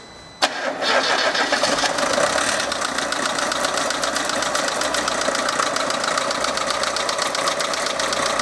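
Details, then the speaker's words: Lada Niva engine at idle: light, quick ticking from the top end traced to a noisy hydraulic lifter (гидрокомпенсатор), to be replaced without removing the camshaft. "данный стук был конкретно гидро компенсаторы его будем менять"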